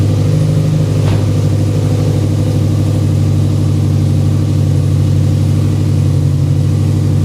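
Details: Freshly rebuilt engine after about 50 miles, just refilled with 20W-50 VR1 and new filter after metal found in old filter, oiling system primed: deep, steady idle, no knocking, grinding or ticking; oil pressure good.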